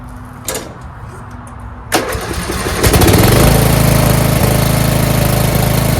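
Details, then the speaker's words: Murray mower with 12.5 hp Briggs flathead single, new Nikki carb just fitted (fuel solenoid removed), new fuel line: cranks briefly, catches, settles into steady even chug, idle adjusted down; normal start and good idle. "Adjust the idle. All the way down. That's good idle right there."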